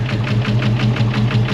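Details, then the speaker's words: Ford SVT Cobra, very dirty and just brought back to running: lumpy idle with an uneven pulse about six times a second and very loud ticking valvetrain, diesel-like. Owner suspects a dead miss; cause not confirmed. "Sound like a fat cam. Just sounds like it's got a It's either got a dead miss or I mean, and the valve train is loud as [ __ ] Sounds like a goddamn diesel."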